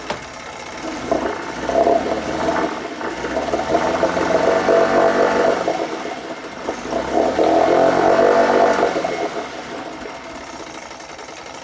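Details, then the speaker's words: 1980 Chrysler Sea King 15 hp outboard running on one cylinder after the bottom coil was replaced: revved twice, pitch rising and falling evenly with no misfire on that cylinder. "technically we're only really on one cylinder, but no misfire on that one cylinder."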